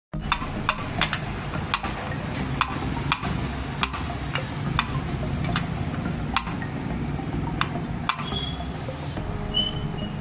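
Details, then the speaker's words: Cooler motor: irregular light tap-tap ticks over a low motor hum, the shaft moving endwise and touching the rear cover; motor shaft end play tapping. "दोस्तों आपका जो colour है उसके अंदर से इस प्रकार से टप-टप की आवाज आ रही है"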